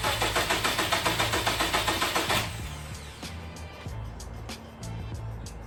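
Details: 2008 Subaru Legacy 2.5, manual, stock before the Cosmo Racing intake install, battery just reconnected: a few seconds of even cranking catch cleanly into a smooth, steady run with no knocks or rattles. An odd first crank, otherwise a normal start.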